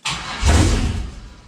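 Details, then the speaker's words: 6.0 V8 swapped into a CUCV, first start of the new engine, coolant system not yet connected, vacuum ports plugged, a little throttle: brief cranking, catches with a short roar and fades; starts and dies, owner suspects something missed in the tune. "a little bit of throttle oh she's close I'm starting to think I missed something in my MI tune I think I missed something"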